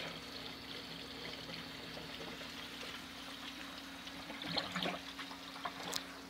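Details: Indoor aquaponics bell siphon made of PVC and duct tape with an adjustable-depth inner pipe. Steady trickling and gurgling with a few louder gulps as the siphon kicks in and drains the upper tank: normal operation.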